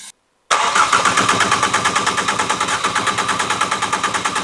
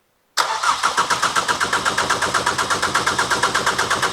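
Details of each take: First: Ford Fiesta ST, newly installed engine, first start attempt: starter chugs steadily about three beats a second but engine never catches; no spark because ignition coil pack was left unplugged. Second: Ford Fiesta ST with a newly installed engine, cranked on a jump lead with injectors unplugged to circulate oil and check for fuel leaks: steady starter cranking with even compression pulses about seven per second and no firing, as expected.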